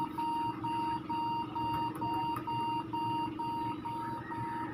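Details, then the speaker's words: HP laptop at power-on beeps steadily about two beeps a second and enters BIOS on its own, as a stuck F10 key reads as held down. "ganito lang siya mga kaibigan nag-beep sound and then kusang pumapasok sa bios parang nagoo press F10"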